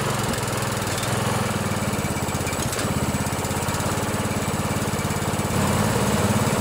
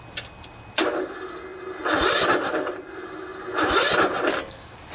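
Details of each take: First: 16 HP Briggs & Stratton single-cylinder OHV riding mower engine after valve adjustment, running on choke; steady even smooth thump, slightly fuller on choke; much better, normal running. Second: 16 HP Briggs & Stratton single-cylinder OHV riding mower engine, about 40°F, new fully charged battery; starter grinds in slow laboured bursts every two seconds without catching; hard cranking from too much compression, valves need adjusting (tight valve lash).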